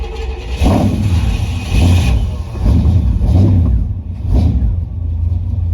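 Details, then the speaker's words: 1972 Chevy C10 with 350 V8 and 3-speed automatic, first run in years: engine catches in uneven surging bursts about every second and can't settle; no fuel delivered from the tank, suspected clogged fuel line, since it ran fine on an auxiliary tank. "Let's see if we got any fuel or not. No fuel. Hm. That's weird."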